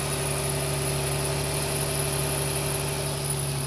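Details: 2007 Nissan 350Z at idle, owner unsure where the noise comes from: steady idle hum with a faint uneven tick and thin high whistle; source unclear.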